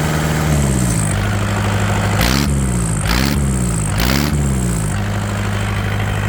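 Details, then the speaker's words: Yanmar TK486 4-cylinder diesel on a stand, no coolant or radiator: steady low clatter at idle with a few short bursts of hiss, even beat across all four cylinders; running smoothly. "Well, that definitely is a lot smoother, 100%."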